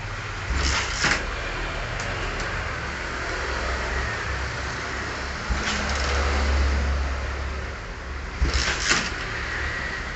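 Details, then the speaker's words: Modified Yamaha Scorpio motorcycle, three kicks a few seconds apart over background hiss, never catches; starter seems weak, suspected engine leak causing burnt/complicated fault after earlier dying repeatedly; won't start, cause unconfirmed. "wis enggak mau hidup lagi, Bro."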